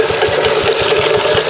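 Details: Stuart Turner water pump run with Wolseley WD2, before repair: terrible sharp, regular knock about every fifth of a second over the running hum; found to be big end bearing failure, since replaced.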